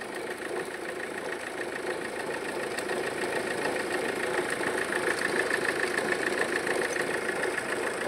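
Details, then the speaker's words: Mahindra XUV500 diesel at idle: loud fast rattling clatter three or four beats a second, worst when revving, sounding like connecting rod or rocker; cause is belt tensioner split in two, belt also torn, to be replaced. "तो यह जो आवाज का कारण है ना ये देखिए टेंशनर है पूरा दो हिस्से में हो गया टुकड़े में हो गया पूरा फट गया"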